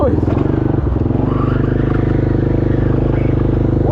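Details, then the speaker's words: Yamaha Grizzly 660 ATV on first trail ride after fuel, carb and valve work: engine chugs with dull clunks and clicking while riding, shuddering and binding; driveline clunk, rear diff leaking fluid everywhere, suspected failing rear differential. "Something mechanically incorrect is going on here. Now smelling oil or gear grease real bad. I think I found my culprit. That's just coming straight from the rear diff, I'm guessing."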